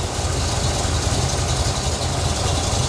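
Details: 1977 C3 Corvette 383 stroker small block, cold start after sitting days, mechanical gauge showing 60 psi versus factory gauge 20; deep, even loping idle, no knocks or ticks; healthy, faulty sending unit suspected.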